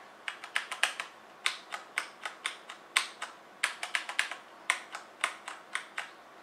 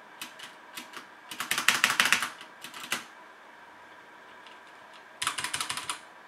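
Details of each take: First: HyperX Alloy FPS Pro keyboard keys pressed in bursts, right arrow key giving a sharper crisp click than the rest, present on left and right arrow keys from day one; abnormal crisp click on arrow keys. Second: HyperX Alloy FPS Pro mechanical keyboard, Cherry MX Red switches, PBT plastic keycaps, aluminum top plate, typing test: bursts of quick crisp clacks with smooth bottom-outs, no rattle or ping; sounds healthy.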